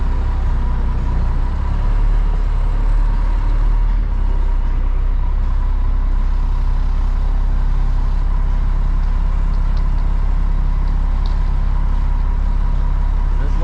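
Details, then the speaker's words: Concrete mixer truck discharging a seven-yard load: loud steady diesel rumble with an uneven rattle of rocks tumbling in the drum. This means less than two yards remain and the drum is nearly empty. "now my drum's starting to rattle so usually that means i got less than two yards left when you can actually hear the rocks rattling around in there that means you're you're getting close to empty"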